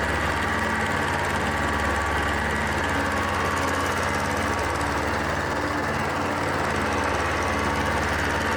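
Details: Kohler SV730S-0011 V-twin on a Bobcat zero-turn mower (Ransomes 942205): loud, steady drone holding even speed with blades engaged via the electric PTO on a severely cracked belt; no slipping squeal or clatter, running properly.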